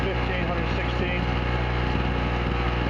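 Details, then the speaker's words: Chicago Electric (Harbor Freight) 800 generator with only a 60 W bulb load drawing 61 W, 60 Hz: smooth, constant engine drone at steady pitch with no surging, knocking or misfire; healthy under light load. "Alright, all we've got running is a 60 watt light bulb here, and it's making 61 watts just like it should."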